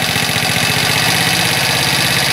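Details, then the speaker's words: Chinese ATV single-cylinder engine warming up on choke after first start: busy, rattly, fast idle with the pace creeping upward as it warms; idle will probably need adjusting after about 10 minutes of warm-up. "there goes starting to ramp up a little bit which means we'll probably have to make an adjustment"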